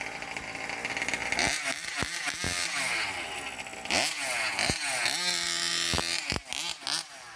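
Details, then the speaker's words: 1/5-scale Rovan Baja RC car two-stroke engine, pull-start after popping with choke, choke then shut fully off: several pull rasps, catches with buzzy rising rattle and keeps running; normal start and idle. "So now you're going to reach back, shut the choke completely off, and give it a couple more pulls. It should start right up."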